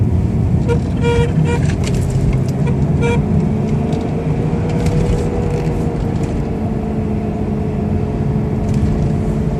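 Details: Omega with the engine running: short squeaky, horn-like chirps over the engine rumble, then a lingering mid-pitched whine from the steering column.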